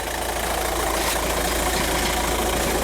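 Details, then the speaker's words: VW TDI diesel idling, heard from underneath: loose busy rattle under engine clatter from a failed dual mass flywheel, found badly twisted after transmission removal. "that rattling right I don't know how much you could hear that but that's a dual mass flywheel rattling"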